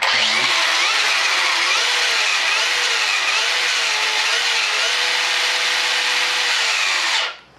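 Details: Traxxas brushless RC truck with new parts and a new plastic spur gear set to proper mesh: steady high electric whine and even gear hum with no clicks or grinding. The bearings have slight play and the driveshaft is slightly worn.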